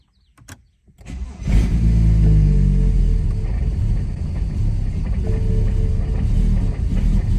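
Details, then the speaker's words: BMW 335i N54 single turbo, tuned for E30 without port injection or B58 coils, with E85 in tank: cold start, starter cranks about a second then catches into heavy, uneven, lumpy idle; rough cold start from fuel-tune mismatch. "this is the start and how it basically a cold start and how it starts when you have E85 in the tank and 985 tuned"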